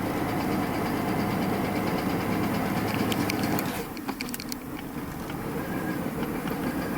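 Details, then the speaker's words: Mercedes-Benz S600 V12 (W140) that hasn't run in a while and has a new wiring harness: smooth, even idle with a steady low hum and no knocks. The throttle pedal feels wrong, it throws an ASR code, and it lacks power. "hasn't ran in a while but you can hear there's no knocks and I can smell of old gas"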